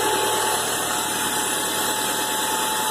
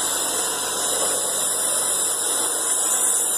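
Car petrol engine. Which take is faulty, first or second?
first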